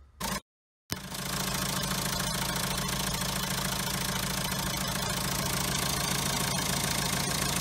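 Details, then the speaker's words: Diesel car with original French turbo, noise began after timing kit, water pump and tensioner were replaced: idle with fast even metallic rattle, three to four a second, over a harsh rasp; metal on metal, turbo shaft broken inside. "اوكي هذاك الحس نتاعو حديد يمس في حديد، هذا طلع المشكل بالضبط في اللاكس نتاعو، في السيجمون تكسر من داخل فهمني."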